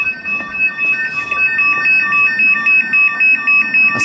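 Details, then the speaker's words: Castle Caretech 2300 alarm panel fitted in place of a 1985 keyswitch system, testing the external Besson sounder outside: loud piercing two-tone warble cycling several times a second; alarm sounder working. "Okay, let's see if it works outside. Oh, it does"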